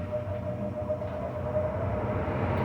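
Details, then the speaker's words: Carrier furnace after replacing a failed, burning blower motor: blower spins up to a steady clean hum holding pitch as airflow builds, no grinding or squeal; normal blower motor operation. "so hopefully this blower motor turns on let's see what happens come on there it goes you hear it"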